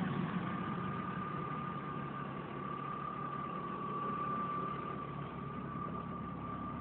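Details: 1997 BMW E36 M3 petrol engine at idle: a steady high whistling whine above the low rumble; the cause is unknown.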